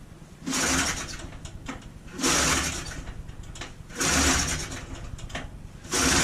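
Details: 1980 John Deere Liquifire 440 snowmobile, stored since 2006, cranked with the choke on: repeated bursts about every two seconds, each briefly catching with a raspy two-stroke crackle before dying. Hard starting after long storage; cause unconfirmed.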